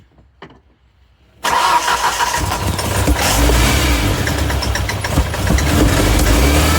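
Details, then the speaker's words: 1994 Ford Ranger, after head work, started with some throttle: lumpy uneven running with popping back through intake; cylinder 1 still not firing, poor compression, bad valves. "All the pop, popping back through the intake. Cylinder 1, still not firing."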